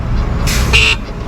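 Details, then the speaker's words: Talaria Sting R electric motorbike fitted with a KO Moto controller: a brief, thin, muffled honk over background rumble; weak horn, suspected to be resting on something or hitting the wires, not confirmed. "Why the fuck it sound so low? I was trying to get your attention."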